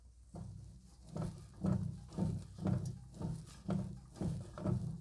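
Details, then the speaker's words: 2009–2013 Ford Flex front strut top mount bearing, steering link removed and assembly turned by hand: creaky gritty rattles about twice a second as the bearing binds, felt as wheel binding in lane changes; strut assembly to be replaced. "hear that rattling sound? So that's the bearing binding up. So part of the problem I was having was during lane changes and stuff, I could feel the wheel binding."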